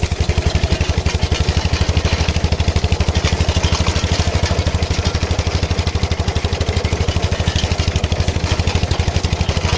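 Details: KM2 PTO-driven potato digger tested after repair on an MTZ-05 walk-behind tractor: fast, steady single-cylinder thudding with no knocks or misses at an even speed; tractor and digger run smoothly.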